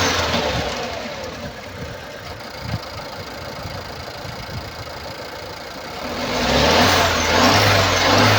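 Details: 2016 Nissan Pulsar C13, 1.2 L (1197 cm³) petrol HRA2DDT, 85 kW, 97,716 km: running engine has an uneven, chuffing stumble in its beat rising with revs, caused by a burnt exhaust valve.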